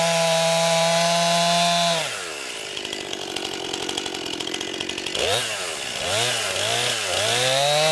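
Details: New 50cc two-stroke chainsaw, about ten pounds, cutting wood from a skidded pile on a cold day: screaming at high revs, dropping under load into the cut and recovering cleanly. Owner finds lots of power for 50cc; normal healthy cutting.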